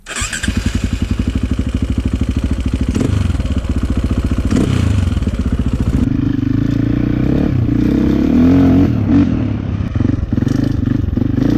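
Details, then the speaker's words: 2004 KTM 450 EXC with Keihin carb, sat 6 years, after leaning the fuel screw one full turn to half a turn out. The single revs cleanly and settles to a steady idle, running normally; possibly still slightly rich off the bottom. "Sounds pretty good."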